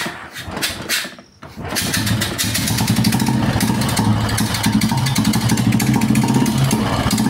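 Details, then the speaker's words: Royal Enfield Bullet, around 2013 model, single cylinder: catches and settles into a lumpy idle, about four beats a second, with a sharp puffing hiss on each beat, compression leaking from the engine, causing poor starting and mileage. "Compression sound பாருங்க இந்த இடத்துக்கு leakage ஆகுதா நல்லா தெரியும்"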